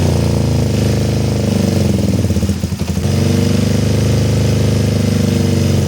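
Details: Kawasaki ER-5 twin standing 2–3 years, previously dying at full throttle, just after carburetor repair with new fuel-inlet O-rings, airbox off: fast idle mostly steady, then stumbles and dips before recovering; uneven running.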